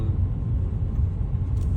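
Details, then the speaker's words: BMW 530d diesel after DIY replacement of a completely perished prop shaft centre bearing that caused transmission tunnel noise: even low road rumble while cruising, no clunks or thumps through the tunnel; driveline healthy. "hey guys managed to fix the problem uh that was only uh the issue with the uh Center bearing"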